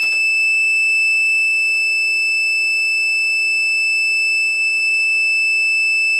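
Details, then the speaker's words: Newly built PC at first power-on, cables not yet tied: a continuous high-pitched whistle-like alarm that never stops. "Okay, I don't like that sound. Is that whistling? But it ain't whistling Dixie."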